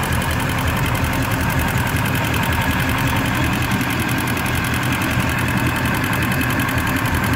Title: Indmar MCX ticking noise at idle